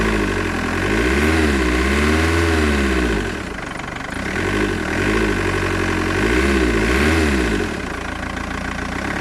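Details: Mercedes W211 E200 CDI OM646 diesel blipped twice with a dry rattle through its clatter; air filter box and hoses fine, owner suspects an intake issue.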